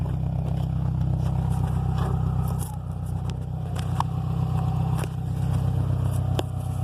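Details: 2005 Subaru STI: engine held at high revs while the car barely moves, loud even drone with scraping crackles and grinding from the transmission.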